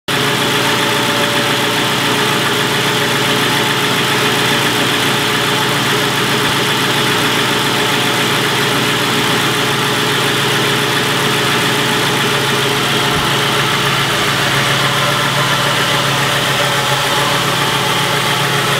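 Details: 2001 Ford Crown Victoria Police Interceptor, Modular V8, 156k miles, idling steadily with a quick, light ticking running through it at engine speed.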